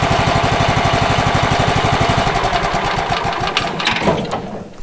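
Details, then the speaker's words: Late-1990s Wood-Mizer LT15 band sawmill engine that sat unused for years, run after maintenance: a steady fast beat of about four firings a second with no misses or knocks, then it winds down. Healthy running. "I'm just happy this woodmizer lt15 is old as it is actually still running"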